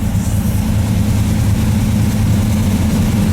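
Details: 1978 Chevy K30 350ci V8, first start in 4 years after priming carburetor: deep loping idle settling into even steady rumble, no knocks or misses; healthy engine.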